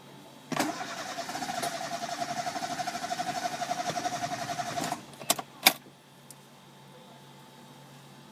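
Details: Chevrolet Spark crank no start, code P0342: starter cranks steadily about four seconds with even pulses but engine never catches; faulty camshaft position sensor.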